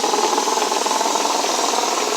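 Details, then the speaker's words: 37-year-old shop air compressor built from a diesel truck air brake compressor, belt possibly 40+ years old, freshly oiled; steady fast even pumping chatter with strong air hiss and no knocks or squeal as the gauge rises, running healthy. "So you can hear the air. And the gauge, hold my finger on it, it'll start rising."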